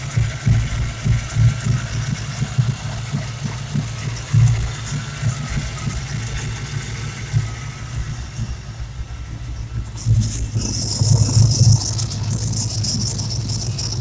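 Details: Mustang SVO Sportsman small-block Ford 351W at idle: lumpy V8 idle with a thin whistling whine; a vacuum leak from a torn brake booster diaphragm is suspected, since the car surges and dies under hard braking; booster swap planned.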